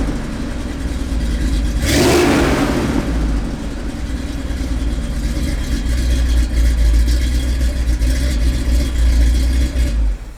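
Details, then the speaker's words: Big-block 460 V8 swapped into Earl, hot idle after hot startup with straight pipes: sharp catch, then loose, uneven, wandering lumpy idle. Plugs look good; owner suspects it's starving for fuel, an idle mixture issue rather than jetting. "oh my God it's hot it's hot feels like this thing is starving for fuel"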